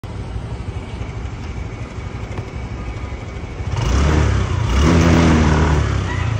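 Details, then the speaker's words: Honda Click125 scooter with severe "hagok": low, lumpy idle that chugs unevenly, then bogs when revved, stumbling and prone to stalling and flooding, from a faulty throttle position sensor, checked via trouble codes. "hagok malala ganyan ang nangyari sa motor ni boss"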